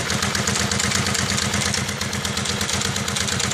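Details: 2001 Kawasaki Vulcan 750 on a cold start: a fast, light metallic ticking rides over the idle, a top-end tick; the owner is unsure whether the ACCT is the cause.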